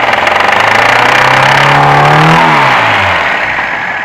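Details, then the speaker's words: VAZ 2105 belt-driven engine after overhaul, bored-out grooved pistons, no misfire: knock about four times a second starting near 2000–2500 rpm, fading at higher revs; heard at head over cylinder 3, vanishes when its plug is disconnected, cause unknown. "вот такой вот нехороший звук на оборотах больше он пропадает"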